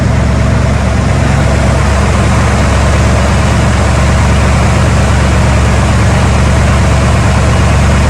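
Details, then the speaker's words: Truck V8 after a cheap refresh for a tapping motor noise (aluminum chunks found in oil pan), start after reassembly: deep steady rumble, even idle, no tapping or ticking; valvetrain quiet. "Fire it up, see what you sounds like."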